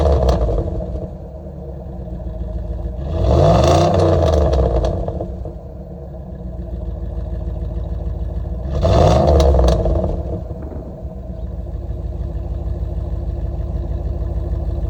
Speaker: So yeah, as you can see, it sounds pretty good.